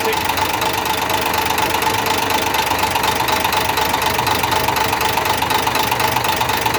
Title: another mechAnic job 101.....trouble and diagnose engine knocking......